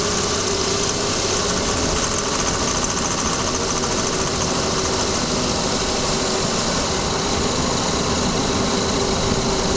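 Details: Lexus ES300 with a loud rattling or ticking noise from beneath, worst in warm weather with a warm engine. It occurs only at low speeds and goes away above about 40 km/h. Heat shield checked and fine. Camera zip-tied on the washer fluid reservoir.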